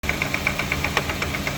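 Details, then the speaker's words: Car driving: sharp regular ticking about eight times a second over a steady drone, judged to come from the differential inside the transmission. "지금 나는 이 성은 변속기 안에 차동 장치 라는 부품에서 보험이 발생되는 걸로 판단이 됩니다"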